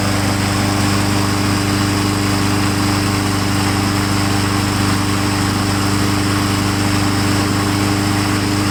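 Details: Honda GCV160 after installing a second new carburetor with choke pull-off added to cure sputtering, running shortly after start: small single-cylinder runs at a steady, even pace with no sputter or surging; sounds healthy so far.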